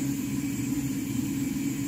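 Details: Walbro 450 LPH fuel pump (Ti Auto F90000267) on a bench flow test at 17.5 volts and 50 psi, flow bouncing between 2.2 and 2.3 gallons per minute: a steady, even hum at one pitch with no surging or rattling; normal operation.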